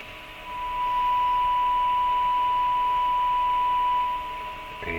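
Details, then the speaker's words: 50-year-old Tram Titan IV 23-channel AM/SSB hybrid CB base station receiving a signal generator test tone on 27.205 MHz at −77 dBm: steady clean tone near 1 kHz over faint hiss, about S6; receiver working normally. "and as you can hear it's still receiving we had a S3 yet minus 107 dbm"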